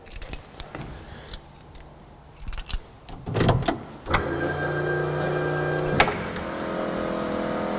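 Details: Ford Mk2 Escort with a newly fitted fuel pump and pre-filter in the boot: after a key rattle, a steady low hum starts and holds evenly with no screech. The pump is priming normally.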